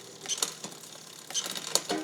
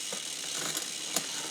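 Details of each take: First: SRAM XO Transmission wireless drivetrain (no limit screws) after readjustment: light, crisp clicks as each gear engages, no chatter or grinding; the gear that was noisy before is now quiet, so shifting is normal. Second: New SRAM XO Transmission wireless drivetrain just installed on mountain bike, first test: quiet freewheel with light irregular ticks and chain chatter; installer suspects rear derailleur hash marks not lined up.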